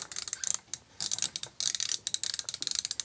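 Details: SK ratcheting screwdriver, low backdrag about 150–175: quick bursts of light crisp clicks with short pauses; pawl ratcheting cleanly, mechanism healthy.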